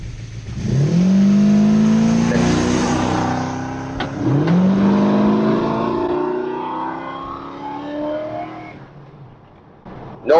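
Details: 1972 Dodge Charger SE with Thermoquad four-barrel carburetor after adjusting secondary air door tension: engine note climbs smoothly from launch, no stumble or flat spot, pulls hard; clean acceleration without bog.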